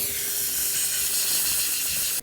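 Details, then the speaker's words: Old second-hand Ingersoll Rand IR40 pneumatic upsetter, jury-rigged air supply: loud steady high hiss cutting off abruptly, compressed air escaping at the wrong air fitting; compressed air leak at fitting. "I put the wrong air fitting on. So I'm gonna quickly change that."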